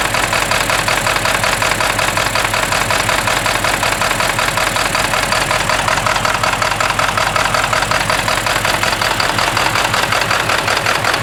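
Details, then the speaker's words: 1997 Ford F-250 XL 7.3L PowerStroke turbo diesel, cold start at 65 degrees: loud, sharp, uneven clatter at about three knocks a second over the cold idle. The rough running is attributed to bad injectors. "cuz you know vibrat and shake so much you shake all that fat ass off of you"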